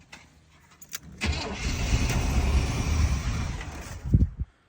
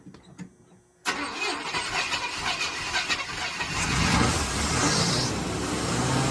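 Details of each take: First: 1987 Chevy K5 Blazer 350, long-sitting, fuel poured in: cranks, catches and runs roughly about three seconds then dies as the fuel runs out; fuel pump not kicking on, relay clicks but no power reaches the pump, so pump is dead. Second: 1987 Chevy K5 Blazer 350 TBI, long-sitting, first start after complete new fuel system: silence, then the engine catches hard and keeps running strongly under hand throttle; normal start and run.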